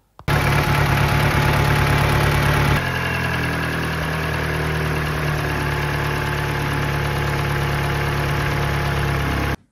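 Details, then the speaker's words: Mini Cooper Valvetronic petrol engine runs on three cylinders from startup; idle is slightly uneven and lumpy with one cylinder misfiring, as number four cylinder's intake valve isn't opening despite fuel, a rare Valvetronic failure on one cylinder. "as you can see the intake valve isn't opening so that's why we've got fuel it's not that we've got no compression we just don't have any uh simple as that"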